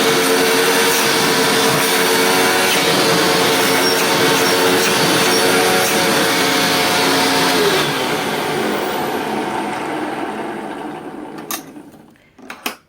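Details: Hoover WindTunnel Plus upright vacuum over 20 years old: steady high-pitched motor whine holding an even pitch, then a smooth wind-down; the motor sounds great, though the brush roll sounds very rough on wind down.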